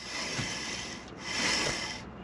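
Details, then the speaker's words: Fiat 126p rear wheel turned by hand: harsh dry scraping rub from worn, nearly welded-seized brake that previously wouldn't turn, causing odd noise under engine braking. "macht natürlich ein eigenartiges geräusch aber es dreht sich wenigstens zuvor hatte sich gar nicht gedreht"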